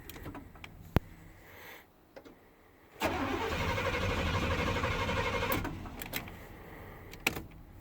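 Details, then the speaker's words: 1990 Chevy 350 TBI truck at about 50°F cold start: quiet, then brief cranking and rough firing for a couple of seconds before it dies; cold crank no-start or start-then-stall, pumping gas doesn't help. "I find when it's cold I have a hard time starting this thing is it's a 350 with the throttle body on it and this is exactly what it does when it's cold"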